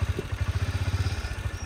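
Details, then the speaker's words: Honda CB200X left unused about a month with a flat battery: rough, lumpy single-cylinder idle pulsing about eight beats a second, barely starts then dies, won't take revs. "बल्ल बल्ल start हुन्छ हो of भैहाल्छ। Race ग race पनि लिनु मान्दैन यी।"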